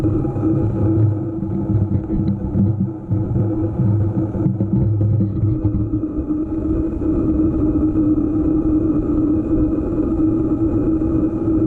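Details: EVO GP PRO: constant droning hum through the whole run over rough low rumble, pitch holding steady; cause of the humming noise unclear.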